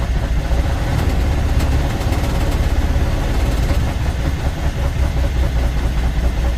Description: IN THE CASE OF THIS CUMMINS ISX15 ENGINE THERE WAS A MISSFIRE ON THE 3 REAR CYLINDER, COMPRESSION WAS LEAKING STRAIGHT OUT AND THIS PROBLEM WAS CAUSED BY A DAMAGE CYLINDER HEAD.